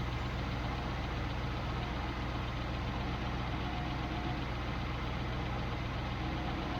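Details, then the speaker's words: Triumph Stag V8 with Stromberg CD175 carbs after fault fixing, during air-balance tuning, idling. Smooth even idle, steady low rumble, no misses or hunting; sounds far better, carbs well balanced, though revs rose after revving, suspected overall air issue. "Oh, that sounds a million times better. A million times better."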